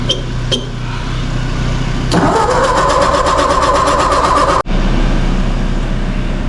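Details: Engine on a very cold day, possibly flooded: a steady starter churn at about four beats a second with no catch. Crank-no-start; spark plugs were then found poorly gapped and re-gapped.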